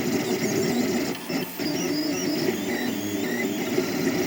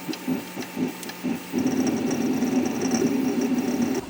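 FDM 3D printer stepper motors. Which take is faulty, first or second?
first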